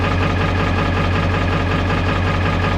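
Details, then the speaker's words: 1995 Ford F-350 XL Powerstroke diesel cold idle at about 50°F right after start: loud, lumpy clatter with an uneven beat, engine shaking; owner attributes it to the glow plugs still being on, not confirmed. "Yeah, she's this one, the gold plugs are still going, so it's shaking the engine."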